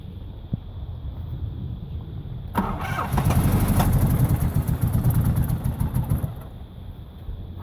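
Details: Nissan Maxima VE30DE cranks steadily at about four beats a second but never catches; fuel pressure 40 psi, MAF, IACV, injectors, plugs, coils replaced; new crankshaft position sensor, owner says it only tries to start when sensor fully advanced.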